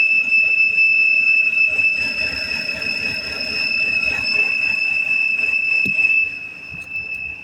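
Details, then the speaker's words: 2007 BMW X3 3.0 running: loud, steady high-pitched whistle heard front and underneath, a vacuum leak that stopped when the valve cover cap was removed; cracked valve cover, to be replaced. "se le quitó el tapón de la tapa de las vulas y se quitó el ruido es quiere decir que la tapa estaba está craqueada"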